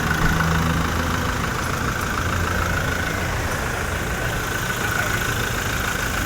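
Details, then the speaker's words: Toyota Innova just after a general overhaul, not yet broken in: steady, even, quiet idle with a soft low rumble and no knocks or ticks; normal idle. "Hindi pa binibreak in. Tahimik na."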